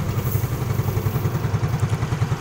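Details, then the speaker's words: Yamaha Mio Fino scooter starter after servicing the dry armature that caused an "nguk" groan: even rapid chugging cranking, no grinding; normal, smooth starter. "untuk suaranya itu sudah halus ya teman-teman tidak ada lagi bunyi yang seperti itu ya starter seperti orang sakit asma ya teman-teman"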